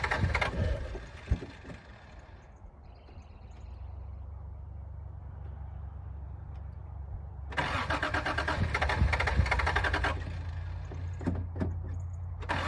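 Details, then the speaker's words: 1986 Toyota Supra, on ether: steady cranking with a few coughs and bursts that never catch; no fuel pump run heard, owner suspects gummed-up fuel pump. "I don't hear a fuel pump run, so I'm pretty sure the fuel pump's probably slugged up there, you know what I mean?"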